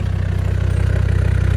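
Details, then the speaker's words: Diesel Mercedes engine in S-10 after bigger turbo install, started after priming the fuel pump: steady even low diesel idle with regular firing beat, no knocks or misses; running normally. "She started. All right, we got it started. She is running."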